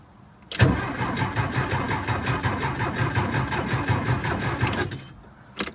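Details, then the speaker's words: 1976 Porsche 914 with VW Type 4 engine, barn find unstarted for 30 years, battery seeming weak: starter spins briskly and evenly for about four seconds but it never fires; no spark or fuel starvation suspected. Cranks but no start. "it sounds like it's turning over pretty good though [Laughter] [Music] might not have any spark we might not have any spark [Music] or she might just be real thirsty"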